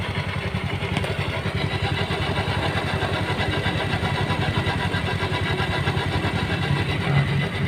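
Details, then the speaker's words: Honda Beat scooter idling with a coarse, uneven rattly grumble from the CVT area under the engine beat; drive belt suspected rough or out of sync with front and rear pulleys, not confirmed: rough CVT noise. "kayak gitu suaranya ada suara ke merancang 00 banyak gitu di area CVT untuk permasalahan kemungkinan besar adalah biasanya karet panbelnya dia opo yo kasar atau nggak nggak sinkron dengan kulit depan dan guling belakang"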